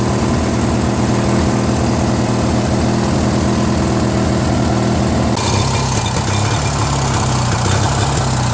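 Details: Free Briggs & Stratton 16HP opposed twin, valve unstuck and carb added, on a Murray garden tractor: an uneven, lumpy beat whose note shifts partway through. It surges unless choked; owner suspects it runs lean through the carb's open Welsh plug hole.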